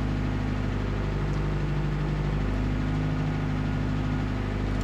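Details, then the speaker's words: 2000 Toyota Celica GT 1.8L in Drive after repair; smooth, even low hum with steady pulse, no skips; misfire counts on cylinders 2 and 3 at zero, normal idle after repair. "as you can see we no longer have that severe misfire number two and three show zeros so this is pretty much a fix guys"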